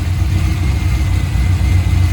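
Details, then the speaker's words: Corvette C5 V8 in neutral after coolant tank replacement and refill: a smooth, even low rumble with no knocks, ticks or squeals, and it revs up nicely. No steam or smoke; a healthy idle. "uh it's in neutral hold on all right gave it a little Vin Diesel rev still revs up nice sounds good"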